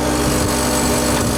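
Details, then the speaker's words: Non-running AC condenser unit, likely cycling on high pressure the day before: harsh, steady welder-like electrical buzz with no motor starting; burnt contactor, later replaced along with overloads. "Oh, did you hear that? Something sounded like a welder. Turn this one off. Yeah, something not right with that contactor."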